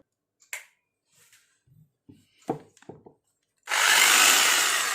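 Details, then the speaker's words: Electric drill after repair (bearing and ball fitted, cover and screws back on): a steady high motor whir with no rattle or catch. The loud internal noise is gone and the balance is fixed; it runs normally. "तो दोस्तों इसके अंदर से बहुत जोर से आवाज़ ए रही थी वह ठीक हो गई और इसका बैलेंस भी ठीक हो गया"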